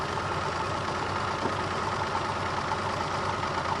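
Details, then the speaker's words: Renault Alpine V6 Turbo (PRV V6), long abandoned, ignition and power checked: loud busy idle with uneven lumpy beat; removing one injector changed nothing, so that injector is stuck, others possibly too. Misfire from stuck fuel injector. "हटा दिया है और कुछ भी नहीं बदला है, इसलिए यह इंजेक्टर अटक गया है।"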